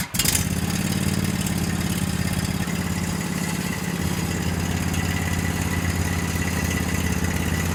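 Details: Garage-find Cub Cadet 1190 lawn tractor in the morning; starter sometimes reluctant, owner suspects it may need replacing: catches straight away and settles into a smooth, even low idle without stumbles or knocks; healthy.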